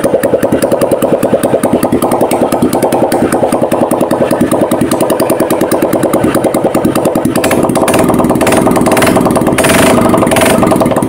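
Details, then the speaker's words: Honda Vario 150 LED scooter, coolant mixing into engine oil, refilled with used oil and full radiator, test start: even steady putter at idle, no knocks, misses or hunting; radiator water calm, normal idle, mixing still to be checked. "airnya tenang enggak maceratcati untuk kpaknya aman ya"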